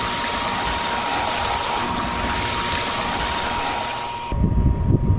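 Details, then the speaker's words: Hayward pool heater combustion blower motor (used, old and rusty unit) restarted after reset: pre-purge then combustion cycle, steady airy rush with a clean, even whistle near 1 kHz; blower now running normally. "After the pre-purge cycle, the burner should come on. Okay, that's our pre-purge. Next, we should have the combustion cycle. There we go. And we're back in business. It works."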